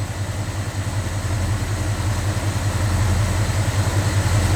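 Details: Small-block Chevy truck engine after mechanical fuel pump and filter replacement, no leaks; steady, even low rumble with no misses, ticks or knocks; normal smooth idle.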